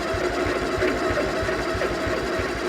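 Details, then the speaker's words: Gravely 20G, unstarted since November, on a jumper box with a dead battery, choke on, throttle at idle: slow cranking about seven turns a second with a squeaky chirp each turn, engine not catching; starter needs oiling. "the starter needs oil again listen to that come on"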